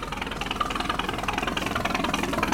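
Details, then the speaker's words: 1946 Century Sea Maid boat, roughly 70-year-old Grey Marine Phantom 112 straight-six, hose-started on trailer after fuel pump priming and choke: quick, even idle pulse with steady beat, no misses or knocking; well tuned and healthy. "there we go I mean for a 70 year old motor man this thing's dialed in pretty well sounds good sounds amazing sounds great runs and sounds fantastic"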